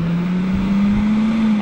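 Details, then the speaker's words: Dometic RTX 2000 rooftop AC condenser fan bench-tested at 24 volts by bridging the green PWM wire. The fan twitches, then its hum climbs as it spools up to full speed and holds: a healthy fan. "you'll see when I touch the green the pulse withd modulation together you'll see the fan trip a little and then it'll go into full spool"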